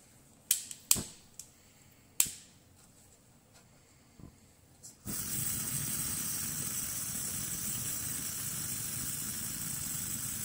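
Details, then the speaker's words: Coleman 508A single-burner stove after a leaking check valve was repaired; before the fix it lost pressure and the flame died. After a few clicks it lights into a strong, steady burner hiss that holds even, showing good pressure and flame. "That is a beautiful thing. So before I wasn't getting this much pressure, and before when I release this, I would lose pressure right away."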